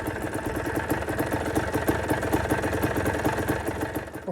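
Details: Kawasaki KDX200A two-stroke enduro engine, about 40 years old, first start after rebuild with pattern parts and crankshaft bearing sorted: steady, even idle with no knocking or rattles, much smoother than before; normal healthy idle.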